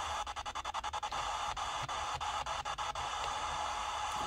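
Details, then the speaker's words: Sony ICF-SW series shortwave radio on AM: only steady hiss with brief dropouts on some stations and no station coming through; weak reception blamed on failed SMD electrolytic capacitors. "so yeah you only hear the hits in some stations of course"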